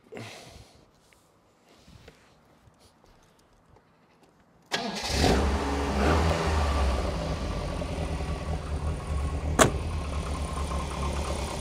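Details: Lotus Elite first start after timing belt replacement, engine cold: quick crank and clean catch, settling into steady even run with smooth revs and no slapping or rattle; timing correct.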